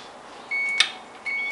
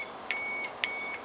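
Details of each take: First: Ignition key switch removed and tested with a multimeter for a fault where the engine cranked in the ON position: three clear high beeps as the key turns to the spring-loaded start position; start contacts close properly, normal. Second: Ignition key switch reinstalled, start wire tightened, key held in ON while a multimeter probes terminals for a fault where the engine cranks in ON: two short high continuity beeps; power present at the tested terminal.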